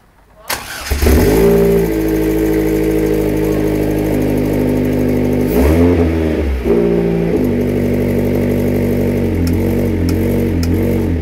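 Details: Vauxhall VX220/Opel Speedster Z22SE petrol engine starting and idling, with a faint, uneven knock about four times a second over it; strange knocking, cause unknown.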